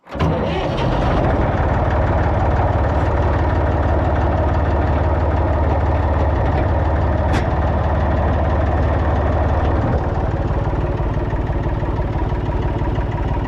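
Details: Massey Ferguson 245 three-cylinder diesel tractor (Perkins tag), revived after 12+ years, burnt/melted radiator, restarted for drive to barn; cranks, catches, settles into steady even clatter about three beats a second. Normal running.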